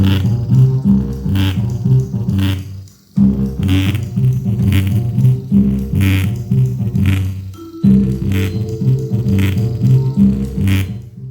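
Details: Bose Companion 20 speaker, about 4+ years old, playing music: fuzzy, rattling bass and crackly distortion from a torn rubber surround on the driver; blown speaker, later repaired with Flex Seal.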